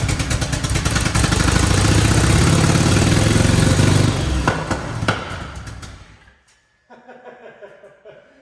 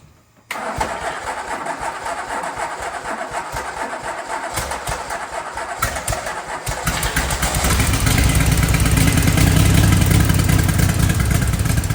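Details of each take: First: 1981-era DeLorean with an added twin turbo system, parked 40 years, first start after pushing down the fuel metering plate: a loud, lumpy idle running very rich that stumbles and dies. Misfire; a stuck injector is suspected, possibly more than one. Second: Twin-turbo DeLorean V6 parked about 40 years, started by bumping it and pushing down the metering plate. Silence, then a rough catch and uneven low idle that firms up and gets louder; engine starts and idles.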